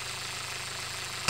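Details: 2019 SsangYong Rexton Sports diesel after oil cooler replacement (coolant and engine oil had mixed) and damper pulley noise fix: quiet steady idle, even low beat, no knocking or pulley rattle, then a sudden loud noise covers it.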